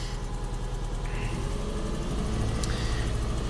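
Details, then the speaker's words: 2008 Subaru Legacy 2.5 SOHC replacement junkyard engine with rough, lumpy, stumbling idle and shaking: cylinder 4 misfire from lost compression, unchanged by new plug, coil and injector; smoother under load, check engine light flashes when revved. "a compression problem and it's definitely on cylinder number four you see look at that roughness monitor it's counting up like crazy it shakes pretty bad"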